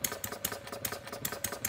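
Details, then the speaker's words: Homemade single-cylinder gas engine from plumbing parts, ~0.875" bore, ~1.5" stroke, 7" flywheel, not fully cold, choke open; sharp crackling pops with missed beats, over-rich misfire while needle valve is closed clockwise. "You hear it's misfiring, so I'm going to start closing the needle valve by turning it clockwise, very slowly."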